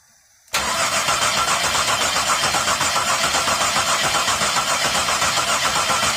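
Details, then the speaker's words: 2002 Chevy Monte Carlo with a no-start: engine runs at a steady, busy idle with no misses, then stops when ignition module wiring is moved; problem located at the module wiring/connector. "all right noise play with the wires it stops"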